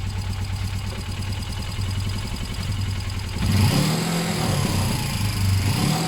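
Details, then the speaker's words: Suzuki GS500 warming up after a service: a lumpy, steady idle jumps to a higher speed when the bars are turned one way, because the too-tight throttle cable pulls the carb open; it may need a new cable or rerouting. "Yeah, so you see when we turn it one way there, it revved up. That's actually extremely dangerous."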